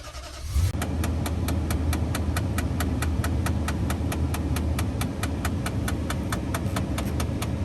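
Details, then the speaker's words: 2008 Nissan Titan with the engine idling: sharp, steady clicking about four times a second from behind the glove box at vehicle start, where the fresh-air door is clicking against its stop. "so that clicking noise we just heard is coming from behind your glove box it's the uh fresh air filter"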